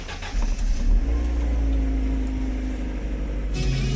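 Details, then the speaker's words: 1999 Mercedes-Benz SLK 200 R170, first start right after throttle body cleaning, in neutral with hood open: engine catches, flares, then idles roughly and searches as the computer adapts; some cleaner liquid possibly still in the intake. "now you can hear the car idling a bit rough and searching and the computers trying to figure out what to do"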